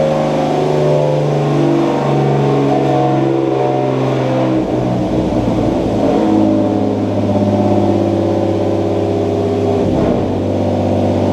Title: BMW E30 Turbo misfire